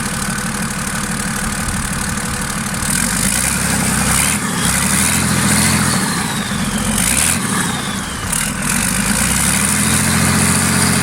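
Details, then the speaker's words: Freshly marinised 12V Cummins 6BT boat diesel, first start, fuel pump screw turned up a quarter turn: even diesel clatter with light speed blips, picking up cleanly and settling to steady idle; idle speed didn't rise. "yeah seems to woken it up a bit alright but I didn't hear the tick over come up or anything"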